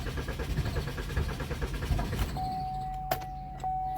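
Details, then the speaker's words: 2013 Chevy Malibu crank-no-start: starter churns in quick pulses, engine barely catches then dies; scan showed lost communication with fuel pump control module, which had no power from a blown 20 amp fuse; replacing fuse restored power and it started. "This vehicle is not starting. Actually, if it's sometimes it's starting, shut off, but it ain't starting. So it start up, shut off."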